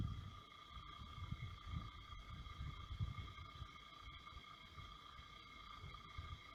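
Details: Brand-new Xiaomi Air Purifier 2S/3H at low speed and in night mode: soft fan rush with a thin steady high whine on top; abnormal motor noise, cause unclear.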